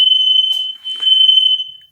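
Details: Smoke detector in a house under remodel, test: a piercing continuous high-pitched tone for about two seconds, then it cuts off; the alarm sounds properly.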